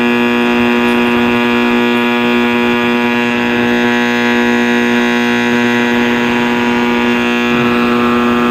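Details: 1960s General Electric black-and-white TV, back off, warming up after power-on: a loud, steady, buzzy howl and hum at a low-middle pitch that holds unchanged; cause not yet found.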